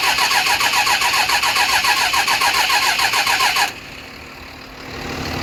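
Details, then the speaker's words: 12-valve diesel with lines off: steady starter cranking about three and a half turns a second with no firing; cranks but won't start. Owner concludes the injection pump is failing, delivering too little fuel to atomize. "yeah we're gonna pretty much say that the p-pump shot it's putting out a little bit but not enough to atomize the fuel"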